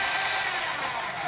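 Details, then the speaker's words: Breville Barista Express grinder with the faulty micro switch bypassed by shorting it: steady, even high-pitched whirr with no catches or stutters after pushing the button; grinder motor runs normally, problem confirmed. "and there we go it's activated and now let's see if I push the button and it's F boom problem solved"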